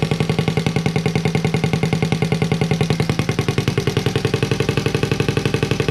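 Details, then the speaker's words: Honda Z50A monkey bike after fitting CR70 stator with original flywheel, manifold not connected to silencer: crisp even popping about eight beats a second, loud and raw from open pipe; normal running, open exhaust. "we managed to get it to work and it sounds pretty cool as well in the uh as you can tell the uh manifold isn't connected to the silencer i just wanted to see what it sounds like without it"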